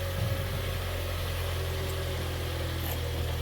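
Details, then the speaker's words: Kia Soul with a used engine from a wreck, just installed along with the transmission, still on its original oil with no coolant yet: smooth, low, even idle hum right after first start, no misfire or ticking; sounds healthy, no smoke. "I mean that's that fired right on the first click well that sounds pretty good"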